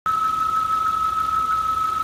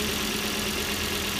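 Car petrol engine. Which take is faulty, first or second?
first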